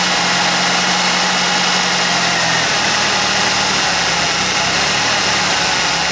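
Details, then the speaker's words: Ford 2.3L with ignition timing deliberately set too retarded (SPOUT connector out); rotating the distributor while running makes the lazy, flat idle pick up speed and smooth out. "I purposely have the ignition timing set too low, so I'm going to rotate the distributor while it's running. You'll hear the engine speed pick up, so it's getting happier as it's going, and that does the same thing as putting the spout connector back in."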